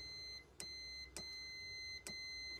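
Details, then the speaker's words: Steady high continuity-tester beep with probe clicks, confirming conduction at a Sacon gas stove's battery-box contact. The contact had broken, causing no spark, and was repaired by soldering on a metal tab. "看一下这边是不是导通"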